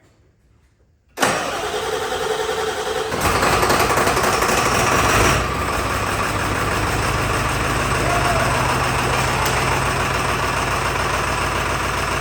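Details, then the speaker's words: Barn-find OBS Ford F350 with 7.3 Powerstroke diesel, not run in years, started by manually jumping the glow plugs: it cranks, catches and settles into a shaky, uneven idle on about four cylinders, caused by damaged injector wiring. "Now, we've got at least one dead mess, but this this thing hasn't been fired up in years."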